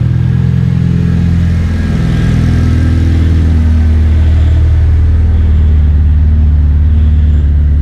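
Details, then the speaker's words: Honda K20-swapped DC2 Integra race car, Haltech Nexus R3 running the fuel pump by PWM duty cycle after injector-clogging fuel tank debris was fixed; pump barely audible while priming, then steady smooth idle at 0–20% pump duty cycle, healthy. "that work perfectly so as the fuel pump was priming I could hear that it was barely running and as soon as the car started up"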